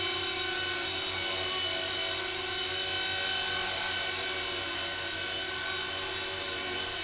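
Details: Blade mCP X micro RC helicopter hovering after a Z8RC boom truss mod, previously vibrating badly: steady high-pitched rotor whine, even with no wobble or beating, smooth and vibration-free; normal hover.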